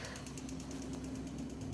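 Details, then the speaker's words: Maxkare 17-inch treadmill, about 10 days old, after an hour of use: quick steady ticking (about nine clicks a second) over low motor hum with the running surface removed, at 3 mph. Owner suspects the motor housing, not the belt; worse at higher speed. "i noticed it was clicking so i took the surface off and i think it's coming from the motor"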